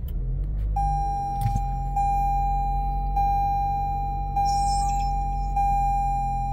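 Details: 2019+ Toyota just after smart-key programming: the engine settles into a low, steady hum while the door chime repeats about once a second. Normal start and idle.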